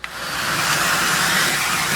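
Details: Central vac with an intermittent hose switch, tested with the switching in the hose bypassed: steady, even rushing airflow that holds without dropping out or cycling; vacuum runs normally.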